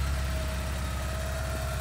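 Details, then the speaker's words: 1983 Porsche 944 revived after 14 years sitting, first test drive: steady even low idle, smooth pulse, no knocks, ticks or misses; temperature and oil pressure normal, healthy normal idle. "temperature gauge is perfect, oil pressure is perfect, sounds good idling"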